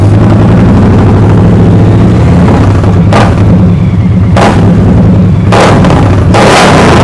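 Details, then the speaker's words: 2023 Indian Pursuit Elite V-twin with 4.5-inch zombie baffle slip-ons, quick throttle blips from idle. Deep exhaust thump barking louder on each blip and settling back cleanly; normal, just a loud aftermarket exhaust. "give it a little bit as you can already hear those zombie baffles it's roaring it wasn't to come out"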